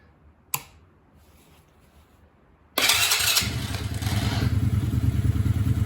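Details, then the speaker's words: Coleman UT125 quad, choke on, after resealing with dielectric grease, with oil added to cylinder so smoking: single click, short pause, then fires straight up and settles to steady even putter; normal start and idle. "hey sounds pretty nice so it's smoking excessively because i put a little bit of oil in the cylinder to try and either improve compression or"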